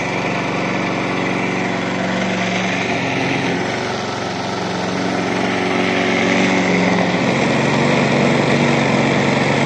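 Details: Briggs and Stratton lawnmower engine on its first start of 2023, unstarted over 6 months, still on last summer's fuel. Catches and settles into a steady, even buzz with no misses or knocks. Normal running.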